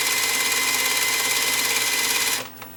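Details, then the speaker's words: Sony EVS-7000 Hi8 VCR during rewind: loud steady high-pitched whirring hiss with thin whistle for over two seconds, rewind sounds sluggish; cause unclear; loud rewind noise. "whoa that's really loud for a rewind something's not right with the smackdown rewind kind of sounds a bit sluggish on this thing"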